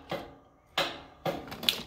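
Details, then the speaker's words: Cub Cadet mower with parking brake set and a 2021 battery: a single sharp click at each key turn with no cranking; faulty starter solenoid or starter. "single click tells me we've either got an issue with uh a starter solenoid or a starter so how do you find out if your starter is bad or if your solenoid is bad"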